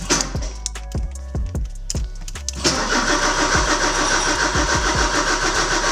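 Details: Porsche 944 cranks in even bursts about three turns a second with odd weak firings, never runs, after fuel pump, strainer and filter replacement; fuses fine, jump box used; ignition seems dead, owner plans rewiring push-button.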